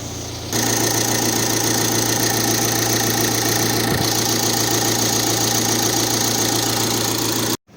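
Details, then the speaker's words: VW Transporter/Caravelle T5.1 diesel (2012) idling after an engine flush, Liqui Moly oil change, injector cleaner and new fuel and air filters. Steady, smooth, quiet low drone with no knocks or misses. "ครับหลังจากที่เราเติมน้ำมันเครื่องใหม่เข้าไปนะฮะเครื่องยนต์ก็เดินได้เรียบนะฮะเสียงเงียบเชียวนะครับ"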